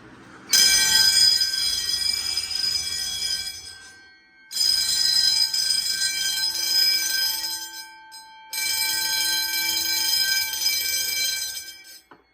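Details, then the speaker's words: Home-built Fire-Lite MS-9200UD fire alarm system set to code 3 after a relatively new i3 smoke detector is activated: loud high-pitched bells ring in three long bursts separated by short silences. Fire alarm code 3 pattern. "I know the code 3 is like a little longer. Notice the code 3 is a little different with the bells."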